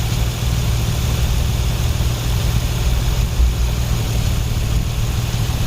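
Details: 2004 Nissan 350Z 3.5L manual, brought in for crank-no-start suspected immobilizer fault, now running while fuse and wiring current (about 16 A) is checked: deep, even idle rumble, steady speed, no stumbles or ticks. Normal idle.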